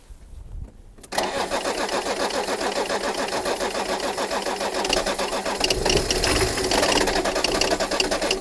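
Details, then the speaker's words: BMW E34 diesel, cranking while injector lines are cracked to bleed air until fuel comes out: steady rapid starter churning with no catch. "So I'm cracking it till the fuel comes out."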